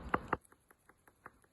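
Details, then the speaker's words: Steering rack off the car, shaken by hand: two sharp clunks then light loose ticks, the telltale rattle of a worn internal bearing, unlike a good rack which makes no noise. "So inside here, you can actually hear that the bearing inside is no longer doing its job."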